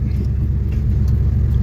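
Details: 1976 Chevelle Malibu with newly installed transmission, one quart fluid added, warming up: steady even low rumble at idle in gear, no clunks or slipping surges; transmission engaging properly.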